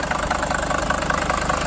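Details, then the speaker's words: 1980 Mercedes-Benz 300D high-mileage diesel started after the glow plug light; it fires instantly and idles with an even, quick clatter and steady rhythm with no stumble, with little blow-by. "Look at that, she instantly fires up. That is a really good sign. I'm really surprised it runs so well for having so many miles"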